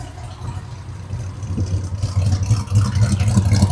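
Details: Classic Mopar V8 just after installing a universal throttle cable replacing clunky factory cable: deep lumpy burble picking up with throttle blips, steady with no knocks; engine runs healthy, throttle now smooth.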